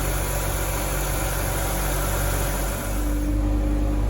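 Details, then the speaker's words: Dodge Journey 3.6 engine after repair of a constant valve-knock noise; worn camshaft reconditioned and four faulty rocker arms replaced: smooth, even idle with steady low hum, no ticking from the top end, oil pressure fine; normal idle. "tá funcionando já não existe mais o barulho de batida de válvula funcionando redondinho É isso aí ó"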